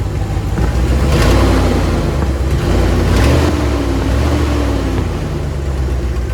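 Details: 1999 Dodge Dakota R/T 5.9 V8, 185,000 miles, good oil pressure; loud deep open rumble swelling as revs rise and settle from exhaust leak, downpipes rusted off where they meet the catalytic converter.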